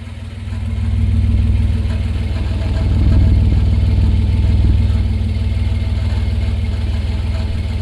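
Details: 1988 Toyota Land Cruiser FJ62, old exhaust rusted with holes, recorded at tailpipe: deep, chuffing low rumble pulsing evenly at idle with rasp on each beat; exhaust leak before replacement.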